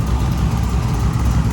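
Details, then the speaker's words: Freshly installed 383 small block V8 (10.5:1) in a 1946 Chevy rat rod, just started after a new valve cover PCV setup meant to cure oil burning. Deep, steady burble at idle, firing evenly with no ticking or knocking. Healthy idle. "sounds good, looks good."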